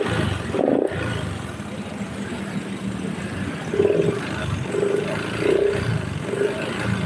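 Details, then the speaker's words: Honda Beat scooter spitting oil out of engine breather, throttle blipped: rough rev with hollow knock on each blip; mechanic suspects piston slap, possibly after running out of oil, piston to be opened and checked. "tapi kalau diperhatikan Iki suarane ngletek bagian pistonnya jadi muni nekan oli keluar muni nekan oli keluar terus kayak gitu yo wis iki pistone bongkaran cek Nanti ketahuan masalahe"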